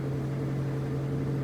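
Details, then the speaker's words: Rolls-Royce at idle after a brief rev: steady even low hum, no ticking (earlier ticking was the pump after revving), small muffler hole audible, electric fans added; normal clean idle. "extra push but see now it's idling clean there's a little hole in the muffler you can hear but there's no ticking sound I just want to point that out"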